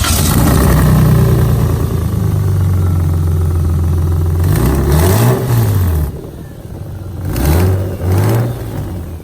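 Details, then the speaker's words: Lexus IS300 after hitting a railroad track lowered: loud, raw, blatty open-header exhaust rising and falling with throttle blips; cracked header and Y-pipe gasket hanging with bolts knocked out — exhaust leak. "So it knocked the bolt out, and pretty much right now my car's open header."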